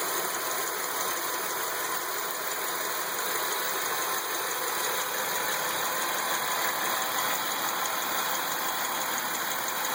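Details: 2003 Chevrolet Lumina, 3.8 V6 (3800) at idle: light fast ticking about three per second over a steady high whine thought to come from the alternator; tick source unknown.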